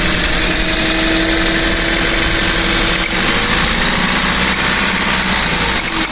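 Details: Car idling rough with an uneven, stumbling misfire (palyado) caused by spark plug wires swapped between cylinders (firing order 1-3-4-2) after new spark plugs were installed.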